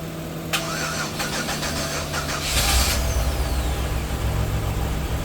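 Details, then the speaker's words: 1997 Chevy Venture starting after long storage, starter replaced, battery charged about 20 minutes; several seconds of quick even cranking, then catches and settles into idle, running rough with suspect old gas. Normal engine start. "It's running. Ha ha ha ha. It's running. Disconnect that from my battery. It's running rough, but it's running."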